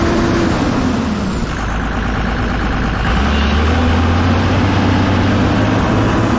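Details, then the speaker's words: Kobelco SK250 excavator, believed 2006, diesel, after exhaust manifold replacement; even rumble climbing smoothly as throttle opens then holding, no knocks, turbo whistle audible in cab, making boost, revs more responsively; normal run under throttle. "but it sounds great you can actually hear the turbo whistling now in the cab so it's actually making boost and seems like the engine revs up more responsively"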